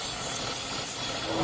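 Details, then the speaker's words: 3.6 L engine idling higher than normal with code P0507: a steady airy hiss over the raised idle, changing when the hoses are moved; the cause is a vacuum leak at a split PCV valve hose. "All right, ladies and gentlemen. That is why this 3.6 6 L is idling higher than normal. I have a vacuum leak right there at the PCV valve hose."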